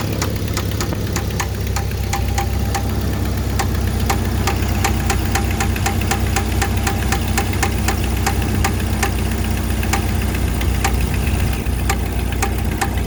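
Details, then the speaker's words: 1995 Jeep Wrangler YJ at idle; sharp tick about three to four per second; owner suspects exhaust leak, first thought rod knock, but oil pressure and level fine, plugs and wires checked good; cause undiagnosed. "I'm currently dealing with what I think is possibly an exhaust leak I originally thought it was a rod knocking but my oil pressure is fine"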